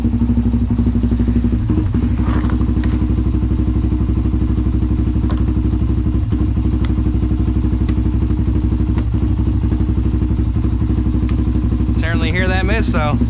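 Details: Honda 400EX ATV that sat for years and was ridden hard, being worked on (carburetor and fuel petcock bought): single-cylinder thumping about four beats a second with occasional skipped or uneven beat; idle miss, cause unknown.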